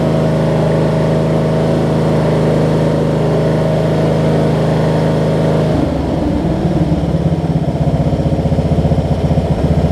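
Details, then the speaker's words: Wizard (Craftsman-type) riding mower after primer and a little gas: the single-cylinder engine runs lumpy, then turns choppy and uneven with pops. It is backfiring while running and when shut off; cause not pinned down. "the brawl the problem is the backfire when I turned it off either how about that"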